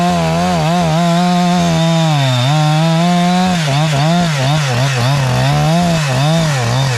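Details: Husqvarna 372 chainsaw clone with new carburetor tune and Hexa chain, cutting an old log: screams at high revs in the cut, dips under load, four-strokes coming out; tuned slightly rich, normal cutting.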